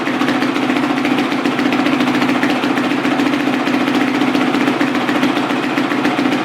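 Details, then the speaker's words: Carbureted four-stroke single-cylinder dirt bike, freshly rebuilt top end with new piston: crisp, even firing at a steady mid pitch with no knocks or rattles. Normal running. "is like right now it's good running carbureted four shows like literally there's nothing like it just wow"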